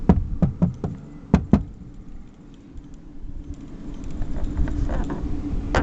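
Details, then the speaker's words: Datsun on-DO moving on road; sharp irregular knocks, rattles and creaks over low road rumble, like loose interior dash plastic drumming; trim creak suspected, cause not confirmed. "Продолжение про скрип Datsun. Вот слушайте внимательно."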